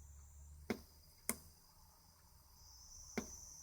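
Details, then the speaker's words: Cheap Chinese digital CC/CV auto step-up/down DC converter module (6A max), loaded, mic brought close: faint steady high-pitched cricket-like whistle with handling clicks; quite a lot of inductor squeal, though the module otherwise works. "can probably just about hear the squealing let's bring it a bit closer cuz it's making quite a noise yeah so quite a lot of inductor squeal"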